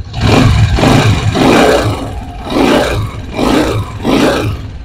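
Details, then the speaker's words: Honda CG125 single-cylinder motorcycle after the tappets were set to cure engine noise. Five clean, smooth rev blips with no ticking or clatter underneath. Normal running after repair. "आप देख सकते हैं कितनी smoothly भाई की setting हो चुकी है"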